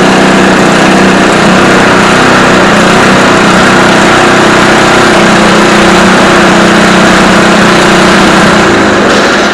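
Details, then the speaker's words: Barn-find Homelite Jacobsen Imperial Sno 524 two-stage snow blower with a 5 hp Tecumseh, pull-started on choke. It buzzes hard and fairly steadily, then fades out and stalls; owner thinks it ran out of fuel. "yep i think we ran out of fuel but i did test the auger"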